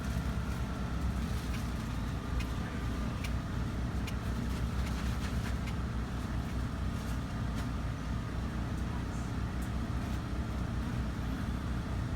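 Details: 3700-watt RV generator running a Coleman Mach 15 15,000 BTU air conditioner fitted with a hard-start capacitor, with the AC fan already running: a steady, even low hum with no surging or hunting. It carries the load smoothly.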